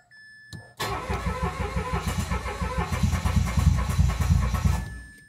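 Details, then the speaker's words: Mitsubishi Mirage G4 sedan with crank-no-start: strong, even cranking about three beats a second for five seconds without firing; mechanic suspects a locked electronic throttle body butterfly not opening. "So ganun lang. Nag-ano lang siya, naglo-long cranking lang pero ayaw tumuloy ng start."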